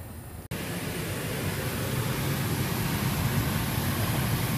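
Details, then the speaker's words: R-410A AC unit (84°F outside, 82°F inside) kicks on into a steady compressor drone with the condenser fan not running: a failed run capacitor. The fix was replacing the capacitor and filter and adding 6.7 lb of refrigerant. "okay guys this may explain why we want cool you hear the compressor droning fans not run"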